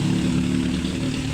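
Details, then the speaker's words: Samsung 8 kg Wobble automatic washing machine, spinning quietly after repair of the owner's noise complaint; a smooth, steady low hum with no knocking or scraping, the drum now running normally. "Ayan saahimik na tahimik ng makwiinding yung ating wabble."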